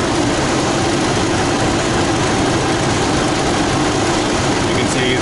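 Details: 2006 Toyota Tacoma after installing a new alternator, which had caused a 20+ amp battery draw and no-crank. Now 13.1 V with a 0.1 A draw. Even idle with a steady low hum under background hiss, no misses or knocks; normal idle.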